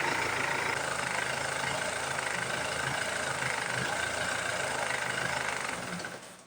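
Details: Ford Transit MK7 starts right away, then idles with an uneven, lumpy beat of about four pulses a second and stalls.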